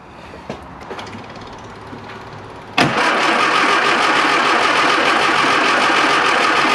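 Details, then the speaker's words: Classic Mini Clubman Estate cranks steadily at three to four beats a second but never fires; fuel confirmed reaching the carburettor float bowl after checking the pump line for an air lock, spark not yet checked; cranks but will not start. "fuel's getting to the carburetor why is it not starting"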